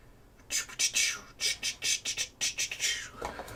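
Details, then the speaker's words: HomePod with no bass complaint, plugged in to check: music thin and hissy with no low end, like a tin can; blown subwoofer from failing filters or amp fault suspected, not confirmed. "yeah yeah that sounds like a tin can all right let's get it apart and see what's going on there"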